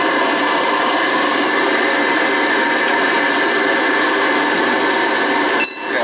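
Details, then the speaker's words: Riello oil burner on a Weil-McLain Ultra boiler with an overhead oil line and running issues. The burner is run with the control off so it won't fire, to check oil flow. A steady, even motor whir with a faint high tone and no flame roar. "this is just this is just to run it to see what we get for oil flow"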